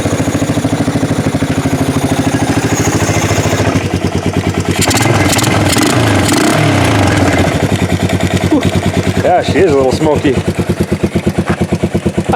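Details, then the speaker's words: Revived 1988 Yamaha Moto 4 ATV from a field: single cylinder pops fast and steady, then picks up with a few throttle blips; owner says it runs a little lean but sounds pretty good, running fairly evenly. "yeah it's a little lean nothing wrong with that and that sounds pretty good actually"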